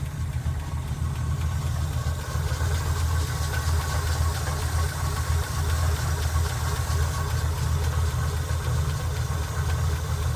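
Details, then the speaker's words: Chevy K10 pickup, 5.7L V8 small-block, also on a gas system: low, steady idle with a light, irregular tick about twice a second; camshaft or valve suspected, possibly a worn cam or noisy rocker, not confirmed. "le bruit que je soupçonne, car ça vient de l'arbre à cames ou de la soupape, ça peut parfois être une came usée ou un culbuteur qui fait du bruit"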